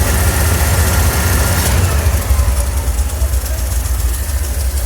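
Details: 1981 Ford 300 engine at idle: it starts even, then the beat turns ragged and lumpy with uneven dips in the exhaust pulse; a misfire at idle.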